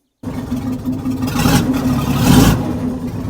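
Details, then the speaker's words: Weatherill loading shovel's six-cylinder diesel, revived after 18 years standing, with the throttle linkage fixed. It revs up and holds an even beat with a raw edge from the broken muffler; a stuck valve appears freed and it runs on all six. Owner suspects low transmission fluid. "however on the upside she's running on all six so I think that valve has freed up so yeah how about that sounds really good"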